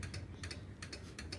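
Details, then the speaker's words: Yamaha Vixion with new battery, key on, starter button pressed: only quick paired clicks from the starter relay under the seat, several a second, and the starter never turns; relay is fine, worn starter motor carbon brushes are the cause. "jika bunyi cetek-cetek ini bukan berarti relaynya yang rusak tetapi di sini adalah kerusakan pada dinamo starter jadi kerusakannya itu arang karbon dinamo starter sudah habis ya"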